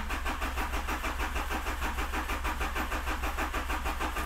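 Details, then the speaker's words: Rebuilt 200 hp HDI diesel, first cranking after reassembly, in neutral, to build oil pressure before starting: even starter chugging about three beats a second, no firing. "pas de vitesse ce serait bête est allé quelques petits coups de démarreur"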